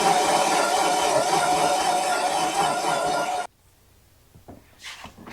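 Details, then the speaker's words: 1971 Datsun 240Z under restoration: the starter, taken from a car flooded in 2016, spins with a thin whine for about three seconds, then stops dead. "It's hitting harder. It'll turn."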